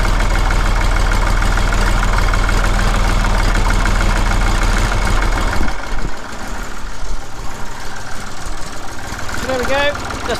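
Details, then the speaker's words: Massey Ferguson 35X diesel tractor at 800 rpm during a comparison of the original exhaust and the new QTP one: even, low diesel idle with a steady thud and no knocks or misses; normal idle. "Okay, and what we can do now, and because we now have an operational clock, we can do them both on 800 RPM."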